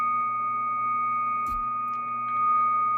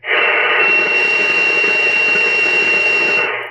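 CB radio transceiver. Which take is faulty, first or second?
second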